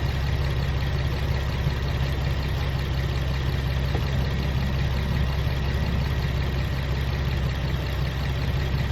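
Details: Infiniti G35 petrol engine idling with a dense low rumble and a fast, uneven rattle; an oil change did not cure it, cause unknown.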